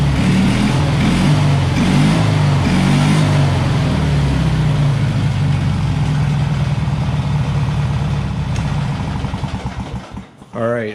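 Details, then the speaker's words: Taurus 650 after fixing an idle set way too high by adjusting the throttle linkage and idle screw: engine blips a few times, then settles into a steady, even, low idle with no hunting or stumble before shutdown. "that's Eileen pretty lowdown as perfect that's good"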